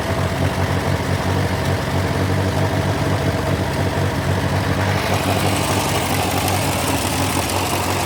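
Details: Massey Ferguson TO35 tractor engine after rebuild, idling: rhythmic ticking or knocking under the low rumble.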